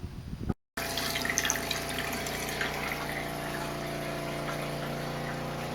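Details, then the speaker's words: RV water pump after fitting an accumulator tank and pump silencing kit: steady low electric hum with faint water rush, even and subdued; runs smoothly and quieter than before. "and that's what it sounds like I think that's better it's better than it was"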